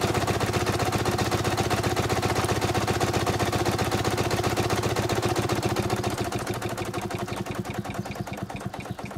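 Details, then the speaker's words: 4.5-inch scale model showman's traction engine near full working pressure of 110 psi, freer running in forward than reverse: even regular exhaust chuffs about four per second easing off and slowing toward the end; safety valve popping; normal running. "i'm going to stop talking for a while and turn the sound volume up so you can hear the engine running"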